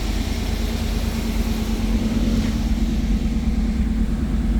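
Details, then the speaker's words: 1991 GM (Pontiac Firebird) with 60,000 original miles and a 100% stock, quiet exhaust, at cold-start idle: smooth, even, quiet low hum with no knocks or ticks; healthy. "100% stock car, the way GM intended it to be, so nothing crazy, no loud exhaust. It's nice and quiet."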